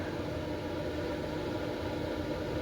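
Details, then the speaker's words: Late-1980s/early-1990s Lakewood space heater switched to 1500 W (about 11.4 A), fan at higher speed: steady even whoosh with constant low hum, no rattles or ticks; running normally. "And crank it up to 1500 watts. And that powered the fan up to higher speed."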